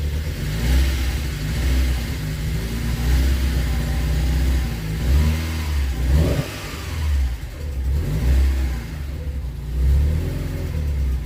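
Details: VW Golf GTI Mk2 16v first start after about three years, still being tuned, not yet warm: deep lumpy note swelling and sagging unevenly between throttle blips with occasional stumble; intermittent misfire that comes and goes.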